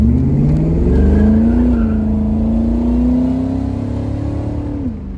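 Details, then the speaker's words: SN95 Mustang with new Atturo AZ850 305 rear tires at 48°F on cold tires, strong low-end torque: the engine pulls hard from a stop with a rising note and faint tire chirp. Rear wheelspin on launch. "As you can hear, yeah, the tires slip. You have to roll into it."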